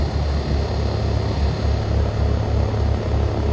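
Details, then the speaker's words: Frigidaire Gallery GHWQ103WC1 10,000 BTU inverter window air conditioner, microphone in condensate pan near the compressor, before ramping up: low steady hum with gentle pulsing throb, no rattle or grinding; normal compressor running. "going to try to set you up in the condensate pan near the compressor so you actually get to hear the compressor sound from right here in the condensate"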